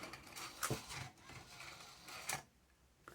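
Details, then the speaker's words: Aiwa XR-MD510 hi-fi MiniDisc slot loader: short whir and sharp clicks as disc goes in and is ejected straight back out, then Mecha Error and no disc accepted until power-off; suspected faulty disc-detect micro switch. "it just sends it straight back out again then it won't accept another one until you turn it off"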